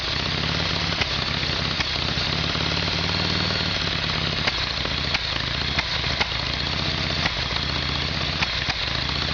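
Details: Harley Evolution Sportster after carburetor work, test run with a see-through fuel line: even, loping V-twin idle, steady throughout without stumbling or surging. Normal, clean idle.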